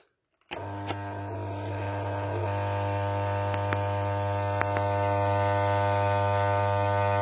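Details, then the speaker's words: 1974 Holophane S400 globe lamp, cleaned, original ballast, at switch-on test: deep mains buzz that grows louder and rougher, the lamp that hums heavily; loud ballast hum. "Donc là, on va passer au test. Donc d'abord, celle qui bourdonne à mort."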